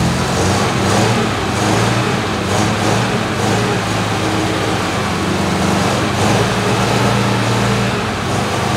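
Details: 1973 MG Midget parked over 40 years, oil leak and timing addressed, good oil pressure: small four-cylinder runs fairly steady with even low drone, no knocking or misses; normal running.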